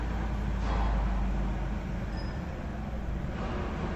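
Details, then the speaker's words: 2018 Ford F-150 5.0 V8 bi-fuel (CNG/gasoline), running on gasoline at idle with number six high-pressure injector shut off: uneven loping rumble, running rough from the misfire; faulty injector later replaced. "there's a misfire right there I shut off a number six injector the high-pressure injector trucks running pretty crabby"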